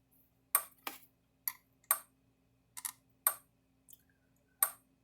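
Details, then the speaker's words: Herdsman 50 fence charger (rebadged Parmak Super Energizer SE-5) after repair, fence tester attached: sharp snapping ticks roughly every second over faint hum, regular pulse; putting out about 7,000 volts, firing normally. "Getting 7,000 volts out of it."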